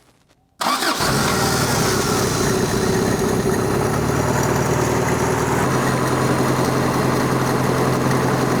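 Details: Toyota abandoned 20+ years in a junkyard, after fitting a new carburetor and fuel filter: it catches at once and settles into a smooth, steady idle with an even low hum, and it is charging.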